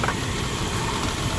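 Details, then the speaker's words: 2001 Dodge Durango 5.9 L V8 idling after water pump replacement: fast, even rattling chatter over a steady idle; owner thinks the bearing in the fan clutch or AC pump clutch is going out. "That chatter you're hearing is the fan clutch, or the centrifugal clutch for the AC pump. I think the bearing in it is going out."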